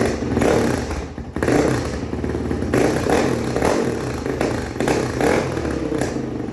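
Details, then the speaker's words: 2005 Honda CRF450X that sat 10 years; the owner suspected low compression from leaking or tight valves. The single cylinder now runs cleanly with crisp throttle response, no misses, no smoke: normal running. "it's not smoking or anything it sounds good the throttle response is good it's not like choking out or anything"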